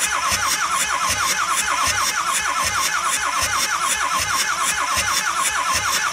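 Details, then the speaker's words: 2006 Ford F-350 6.0L diesel that won't run, cranked for a compression test through the glow plug hole on the driver's side, readings about 300 to 400 psi: steady cranking with even pulses, never catches; owner suspects a head gasket or injector seals after overheating. "okay now we're on the third one back and we're gonna go ahead and crank this over and see what we get"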